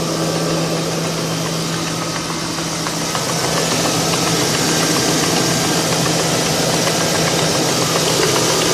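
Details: 2002 Ford Crown Victoria P71: sharp regular ticking about three or four per second at idle, lagging slightly behind revs; broken plastic PCV baffle flapping against cam lobes.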